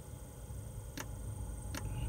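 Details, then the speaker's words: 5 kW Chinese diesel heater, fuel pump slow to start after switch-on: two sharp ticks about three-quarters of a second apart over a low rumble, air bubbles in the line; pump then picks up and works normally. "just a couple of clicks. You can hear it clicking."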